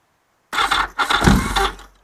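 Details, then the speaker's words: Yamaha XS1100 old starter motor, tested before being swapped for a new one: a short, rough, labouring crank of about 1.5 s that pulls the battery right down, really grumbly, and overruns; worn starter motor. "pulls the count right down it's really really grumbly overruns"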